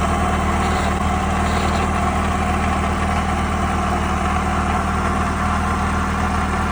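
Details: 1969 Saab Sonett V4 with a swapped-in 1.7L Ford V4 and Holley 1940 carburetor at a steady low idle, with an intermittent light metallic rattle; the owner suspects the throw-out bearing or the freewheel mechanism, whose linkage is disconnected.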